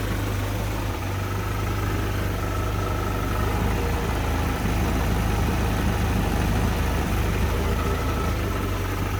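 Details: Land Rover Series IIa on its first start after an engine rebuild: low, steady, even idle with no tapping or knocking. Temperature is coming up and the fuel gauge is working.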